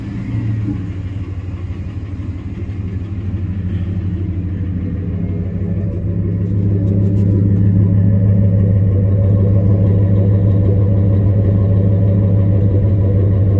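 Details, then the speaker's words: 2001 Ford F150 2WD, 5.4 two-valve V8, 277,000 miles, with newly fitted exhaust: starts right up into a deep, even rumble that firms as revs rise slightly; runs clean and healthy. "Listen to it, it'll start right up. Runs good. Runs real good. He just had exhaust put on it."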